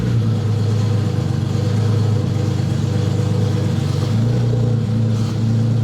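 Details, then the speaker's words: BMW E30 idling after valve clearance adjustment with feeler gauge, long undriven: smooth, steady low hum at even idle, no ticking or tapping from the top end. Normal, healthy idle. "Since it's all buttoned up, let's go ahead and fire her up. Make sure you don't hear any weird noises or anything like that. Sounds good to me."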